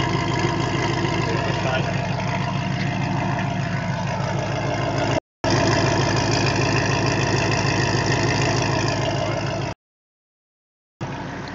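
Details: 2005 Pontiac GTO V8 with SLP headers and Corsa Sport exhaust at idle: fast, regular ticking puff about three per second on the exhaust note; owner suspects an exhaust leak at the headers.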